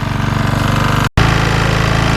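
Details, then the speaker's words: Qualcast lawnmower engine, idling on a 20-minute test after service: hard, rapid metallic knocking on every beat, smoke from the air filter, also hunting; owner suspects the big end, engine possibly terminal, not confirmed. "It's got a knocking noise coming from, I think, the big end of it, and we are getting smoke coming out of the air filter."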